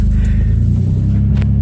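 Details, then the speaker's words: Toyota 4Runner after new ignition coils fixing P0300 misfire that appeared when dropping into gear; now in gear, deep loud exhaust rumble stays even and steady with no stumbles or missed beats; running clean. "oh yeah baby she is smooth yes that's what we wanted that's what I was that was my goal oh yes nice and smooth"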